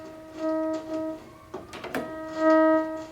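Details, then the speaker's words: Vintage ARP Pro/DGX analog synthesizer before restoration: a held tone crackles and nearly cuts out when the brilliance/filter or volume pots are moved; scratchy, worn potentiometers causing signal dropout. "also i mean as as usual the the pots are scratchy i mean if i move the brilliance i mean the filter i mean it almost completely cuts out the sound if i change that volume"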